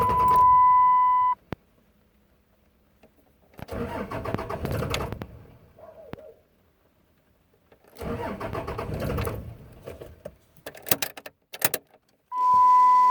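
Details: 2006 Ram 2500 5.9L Cummins diesel, worsening intermittent hard start needing about six key attempts: two long cranking spells of about a second and a half each with no catch between warning chimes.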